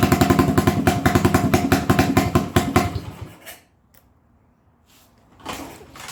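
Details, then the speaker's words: 1980 Honda XL250S single-cylinder, worn bike with no-start and bad idle, carb mixture being adjusted: uneven stumbling beat about three and a half pops a second, faltering and dying; richer than middle stutters, leaner shuts off; mixture suspected, unconfirmed. "so if i make it a little richer from the middle that causes it this butter if i make it leaner from where it is in the middle it just shuts off"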